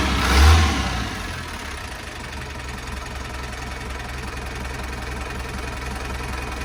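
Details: NKR 110 hp diesel truck for sale, engine not yet washed: after a brief blip, a steady diesel clatter settles into an even idle rhythm with no odd knocks; sounds healthy.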